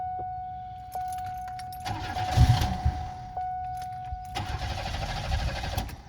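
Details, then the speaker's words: 1991 Buick with fuel pump unplugged so the pump does not kick on: key clatter, engine catches and runs briefly on leftover fuel, then sags and dies; stall from fuel starvation. "We have our fuel pump unplugged, and if we turn the car on, you won't hear the pump kick on."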